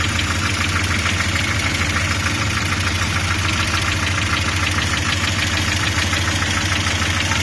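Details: Audi 80 B3 at idle: loosely regular tapping near 200 per minute over a steady idle hum; engine knock, source not pinned down.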